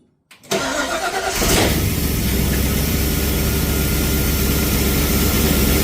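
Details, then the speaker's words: Ford Falcon XB hardtop during restoration, after earlier noise that went away, slight sump bolt oil leak: brief crank, fires within a second, steady even idle with no knocks or ticks; normal start and idle. "I'm the motor sounds freaking mint now."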